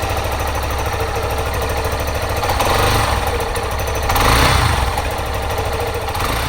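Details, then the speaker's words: Yamaha Serow 250 (DG17J) air-cooled single at 96,340 km, before overhaul: rough, noisy running with a high-pitched shrill whine and a periodic muffled knock; fault not yet identified. "Now, please listen to the current engine sound. There is a rather noisy noise, including a high-pitched, shrill sound and a periodic, muffled sound."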